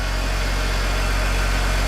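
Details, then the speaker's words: 21-year-old early BMW E60 started after a coolant leak repair: smooth, steady low idle hum with no squeal or chirp, only a small squeak right at startup, possibly debris on the pulleys. Water pump probably no longer squeals; normal idle. "Ehkä se kuulostaa kohtuun hyvältä. Se oli joku pieni kitinä siinä aluksi oli."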